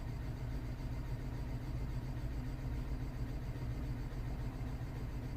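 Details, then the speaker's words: 2009 BMW 318i E90 (believed 2.0 petrol) at idle, misfire still on cylinder 3 after parts already fitted; quiet, slightly uneven lumpy beat; a leaking injector also found on cylinder 4, strong petrol smell at exhaust. "oh that's interesting that's actually interesting still on number three oh dear that's a different story now"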